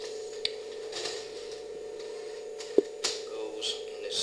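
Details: 1994 Philips VCR after replacing the missing main loading belt that had trapped a cassette: quiet steady motor hum with soft clicks and a clunk as tape draws in and settles; loading works normally.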